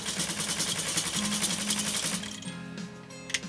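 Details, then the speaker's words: Necchi SuperNova sewing machine stitching a wide zigzag through 8 layers of US Army canvas in final test, a bright metallic rattle on each stroke from a loose bobbin cover plate. "Here we go. Can you hear that plate rattling?"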